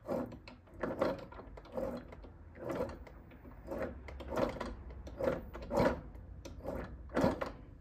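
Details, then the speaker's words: Aprilia RS4 50cc motorcycle engine, spark plug out, turned by hand through the ignition cover: slow uneven scraping clunks as it drags and seizes up again; came in for a leak, full engine rebuild needed, cause not yet confirmed. "donc comme on a pu le voir le moteur s'est rebloqué"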